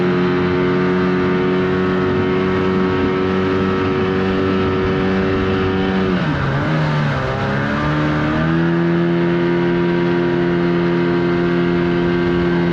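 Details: 1979 Evinrude 35hp outboard at speed on the water after adjustments. A steady high drone sags in pitch for a couple of seconds, then picks back up: bogging under load. Cause suspected, not confirmed; the air box is a suspect.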